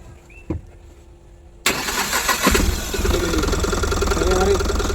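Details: Tata Ace Gold BS6 diesel that would not start due to low fuel delivery, after fuel control unit replaced: starter catches and engine fires at once, settling into a steady even idle; clean, normal start after repair.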